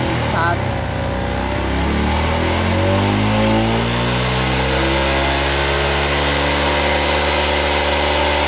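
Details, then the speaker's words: Suzuki Smash New carbureted motorcycle with high fuel consumption and blackened spark plug, after carburetor refit: revs sag and slide down, then settle to steady idle as the air screw and idle are adjusted by ear. "setelah kita setel angin-anginannya kita paskan langsamnya kita cari langsamnya ya kalau masih suaranya agak apa ya agak keborosan kita putar kembali ya"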